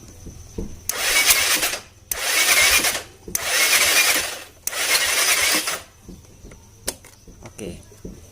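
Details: Scooter that is hard to start in the morning: four short bursts of starter whir, each about a second, with no catch or firing; a compression leak is suspected.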